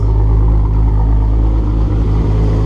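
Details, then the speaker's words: Cold-started VR6 after new intake and exhaust manifold gaskets fixed months-long rough rich idle (AFR 10, sooty plugs): deep steady idle, no misses or hunting, still slightly rich while cold; normal idle. "she's i didn't find perfect i'm hyped i'm happy about it so it's like what a minute idling yeah it's a little rich because it's still idling the car is still cold"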